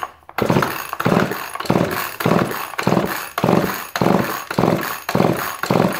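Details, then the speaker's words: Chainsaw with torn fuel line temporarily reconnected, choke on: repeated pull-start strokes about one per second with no firing; flooded, fuel visible inside. "Oh yeah, we're flooded. We're flooded because I can see the fuel in there."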